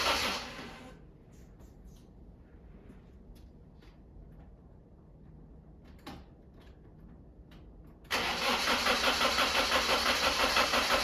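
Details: BMW E36 on its first start attempt in 6 months after restoration: the starter cranks over evenly at a steady beat but the engine never catches; cranks without starting.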